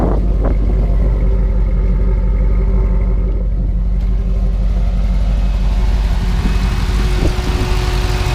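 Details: 2000 Corvette LS1 V8 swapped in, stage 2 Texas Speed cam, headers, catalytic converters, side-exit exhaust, 4L60 transmission: deep loping rumble with uneven chop, about three pulses a second, steady with no knocks; normal cammed idle.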